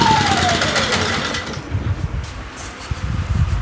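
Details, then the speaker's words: WEN 56200i 2000 W inverter generator surging slightly, its pitch sagging then steadying unevenly, traced to a clogged low-speed idle jet. "okay seem to be surging just a little bit but uh I'll work with that outside"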